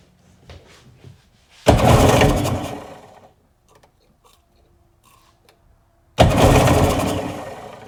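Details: Sea-Doo engine after carb line repair and clamping, two cranking bursts of about a second and a half each with no firing; lots of fuel coming out, compression check next; cranks but no start.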